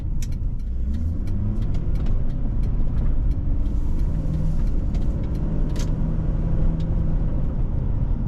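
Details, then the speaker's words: 2004–2008 Ford F-150 5.4L with new aftermarket muffler/exhaust, heard from cabin at about 25 mph light cruise: low even rumble with road noise, no drone, as quiet as stock; normal exhaust. "It's very quiet in here. There's no drone, there's no craziness. It is ultra manageable. It's just as quiet as stock, which is exactly what I would want in a truck like this."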